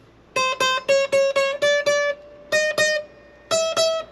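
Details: Cheap Carlos acoustic guitar, old, with its neck pitched forward and bowed to about 0.012–0.013 in relief at the 8th fret: eleven plucked notes, each with a rattly, buzzy attack. Fret buzz.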